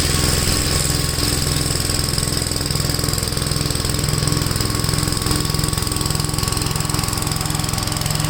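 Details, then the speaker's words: Gravely tractor running a brush hog mulcher after clutch adjustment: loud steady engine drone with fast even blade chop, no wobble or vibration, blade still spinning; runs smoothly. "wow if anything this sounds cool plates are still spaming well it runs really uh smooth no vibration uh still the blade still spinning that's funny"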